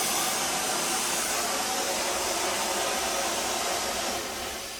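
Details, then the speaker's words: 1922 Polson #70 Baldwin 70-ton Mikado oil-burning steam locomotive, cab, firing up: upper water-glass blowdown gives a steady higher-pitched hiss of drier steam, fading slightly at the end; normal. "You can hear the difference in sound. The upper one's a little higher because it's drier steam."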